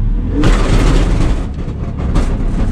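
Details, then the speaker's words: Race car driven to the shop on a destroyed rear differential: heavy, rough rumble under throttle with a coarse grinding edge that rises and falls with speed. "So I was convinced that I needed to take the car and drive it here on a destroyed rear"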